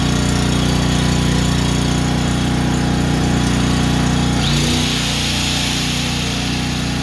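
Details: Honda generator after a no-start tune-up (carburetor cleaned, oil changed, fresh gas), first start with choke on: steady, even beat about three pulses a second, no hunting or surging; normal idle, runs perfect.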